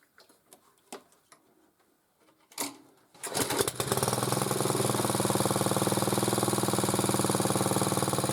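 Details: Motor-cultivator that knocked and stalled in autumn and started poorly, after valves checked (intake upper 0.20, exhaust lower 0.15 clearance); starts after a few pulls, steady even single-cylinder beat, no knock or tapping, gearbox turning; normal running.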